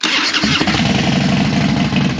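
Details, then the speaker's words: Harley Dyna that had been dying and wouldn't stay running, started after reassembly with a lithium battery fitted on spacers: brief crank, catches within half a second and settles to an even loping idle; normal start. "wow that sounded [Music] perfect"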